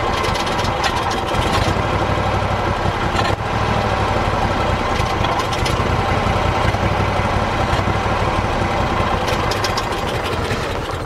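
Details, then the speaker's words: Howard Price Maverick 620 / Cub Cadet utility vehicle small engine, just after a carburetor and jet cleaning: runs rough at idle with a brief dip and won't settle into a steady idle. An idle adjustment is suspected. "doesn't quite want to stay idling but that could be an idle adjustment now"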